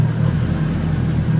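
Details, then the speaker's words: BMW E36 325i turbo, M50 engine, after oil on the manifolds was found and clacking traced: steady low idle hum with no ticking or clacking, condensation in exhaust line; normal M50 idle. "je pense ça se voit qu'il y a plus de bruit bizarre donc ça on peut la rebaisser gros impeccable il a de la condensation dans la ligne forcément depuis le temps c'est un bruit normal de M50"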